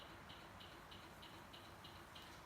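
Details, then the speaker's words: 1989 Toyota pickup 4x4 after switching to LED blinkers: sharp, even flasher relay ticks about three per second, too fast; the LEDs draw too little current, so the stock relay hyper-flashes; fix is a new flasher relay. "It's blinking fast like there's a light bulb out. And it's blinking fast because it's an LED and it draws, less voltage."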